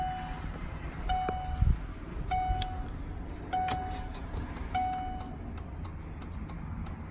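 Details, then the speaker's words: 2003 Chevrolet Suburban after flasher module replacement, tested with the new module. Even clicks with a chime about every 1.2 seconds, never stalling or speeding up; the turn signal now flashes properly. "sounds about the same and I'll let it blinking blinking blinking blinking well I think that's long enough to let us know that it's working the other one would have messed up before then"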